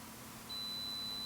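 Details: Kaiweets HT112B compact multimeter in continuity mode: after a short quiet moment, a steady high-pitched beep starts and holds as the meter confirms continuity across the probes.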